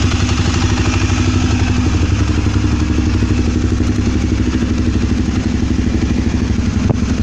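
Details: Twister motorcycle: a steady single-cylinder idle with a loose clattering tick over every beat, a mechanical clatter inside the engine whose source is undetermined.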